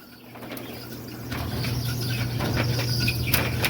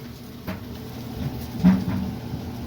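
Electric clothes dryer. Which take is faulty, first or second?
first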